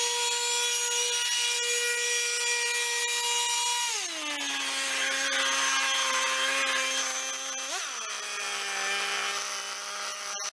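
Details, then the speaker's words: Repaired RedMax EBZ7500 commercial backpack leaf blower two-stroke engine, which had developed a worsening engine noise, holds a high, even whine at full throttle and then drops smoothly toward idle with no knocking or rattle after about five to ten minutes of running. "seems like it's functioning like it should I I ran it I don't know 5 or 10 minutes no great long period of time let it idle a little bit up off idle for five minutes and then gave her it's staying together it's not noisy"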